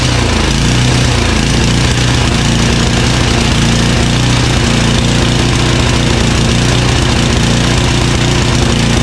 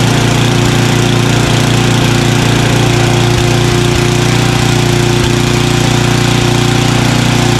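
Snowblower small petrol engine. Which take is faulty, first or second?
first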